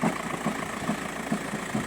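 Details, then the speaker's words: VW Golf 5 diesel idling cold with light, even knocks about twice a second from a worn dual-mass flywheel. The clutch works normally without slipping, and the knocking disappears when the clutch pedal is pressed. "звук когда постукивает двухмассовый маховик сцепление работает как бы нормально не пробуксовывает"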